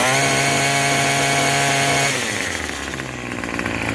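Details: Craftsman 27cc two-stroke string trimmer, free used unit, just started after priming and repeated pulls: even high-pitched buzz for two seconds, then ragged and uneven as throttle changes; it runs.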